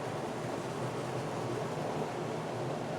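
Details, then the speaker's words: Friax wine cellar cooling system fan at full speed with the air duct closed almost completely, about 350–375 Pa static pressure; loud steady rush of restricted airflow, much noisier than when more open. "if we close it almost completely well if we close it almost completely that's 28 350 375 pascals and you can hear how noisy that"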